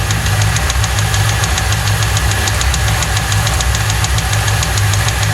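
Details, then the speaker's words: 1995 Lincoln Mark VIII 4.6 4V Modular V8 after a dealership timing-set job, arrived with no oil and non-original filter: sharp, regular metallic knock over idle tracking engine speed; rod bearing knock, needs an engine. "So that certainly sounds like a rod knock to me. That's a rod. Yeah, it's definitely got a rod knocking."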